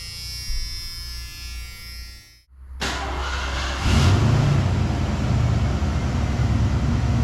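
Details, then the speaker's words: Ford Bronco with fuel-injected 302 V8, 4-speed, many parts replaced; after a brief start a smooth, low, even rumble, no ticking or puffing, quiet with no exhaust leaks, runs like a sewing machine; normal idle. "Bunch of stuff's been replaced on this thing, but as you can hear, it runs like a sewing machine. Like, this thing is so quiet, no exhaust leaks."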